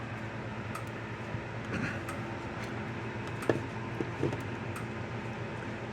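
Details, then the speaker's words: Gallagher M300 fence charger, plugged in on the bench: faint regular clicks about once a second over room hum with the light flashing, so the board works. "And it is clicking. You kind of hear it, maybe. You see the lights flashing. So the board's working."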